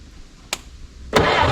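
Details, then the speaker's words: 1964 Jeep CJ-5 after 30 years in a barn, engine freed with sludge, running old fuel with two-stroke oil mix: a click, then it catches into a rough, uneven run that barely keeps going, smoking heavily; first start after long storage. "It runs. Looks like you guys got the smoke show over there, too, huh? Probably just blew a whole bunch of rats nests out of that thing."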